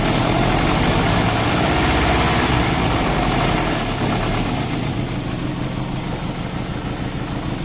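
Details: Euro-spec Mercedes 190E 2.0, 5-speed manual: rough, uneven idle with stumbling pulses around three a second that never settle; misfire from a spark plug. Two plugs were pulled and cleaned, and one is thought completely fouled.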